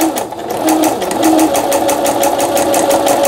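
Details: Singer sewing machine after repair: quick, even needle ticking about six per second over a smooth motor hum, no knocks or binding; normal stitching.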